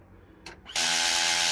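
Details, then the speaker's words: Nissan Leaf (2017 onwards) charging port lock actuator, unlocking type 2 cable: harsh steady buzzing ratchet for nearly a second, meaning the actuator mechanism's gears are worn; replace or repair with replacement gears. "that one, that means the mechanism is gone and you need to either replace it or repair it."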